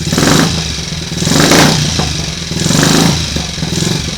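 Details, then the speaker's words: Triumph Tiger Cub single after engine rebuild, first run warming up, alternator off: revs rise in slow laboured surges with a dragging feel; ignition timing too retarded, to be set with a strobe. "Just tell there when I try and rev it up, that sort of drag, that means the ignition's too retarded."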